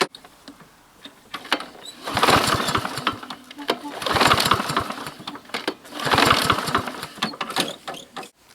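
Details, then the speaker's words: McCulloch lawnmower that won't start despite clean fuel, spark and oil: three rope pulls about two seconds apart, the engine spinning over lightly and easily without catching; low compression. "doesn't seem to be that much of compression"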